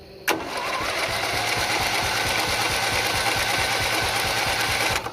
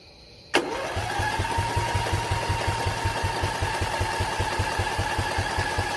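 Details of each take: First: Old off-road race mower tractor with single-cylinder Briggs & Stratton Intek engine, on an external power source with choke removed: starter engages with a snap and spins the engine at a steady, quick chug for about five seconds, turning freely; normal cranking. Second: Single-cylinder Briggs & Stratton Intek on an old mud mower tractor: starter whirs with even compression chugs for seven seconds, no firing. Choke removed, hand-choked, carb needs replacing; no spark suspected, then fuel line found dry, stuck needle suspected.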